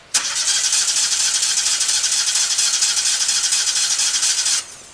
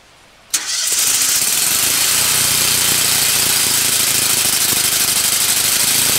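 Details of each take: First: New Lincoln Ranger 250 GXT engine-drive welder on its first run with the choke on: a steady whirring crank for about four and a half seconds, then silence without firing. The tank and entire fuel system are still empty, so no start. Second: New Lincoln Ranger 250 GXT engine-drive welder on its first start, choke on, after earlier cranking to draw fuel in: a quick crank catches at once and settles into an even, steady run with no misses or knocks. A healthy first start.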